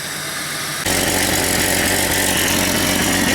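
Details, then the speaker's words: Jeep 4.0 inline-six idling after exhaust manifold, radiator and fan clutch replacement: loud raspy hiss and rhythmic puffing from a pretty good exhaust leak, plus intake air sucking and strong fan noise. "can tell it's got a pretty good exhaust leak. That's the air sucking in for the intake, but I can really hear that fan."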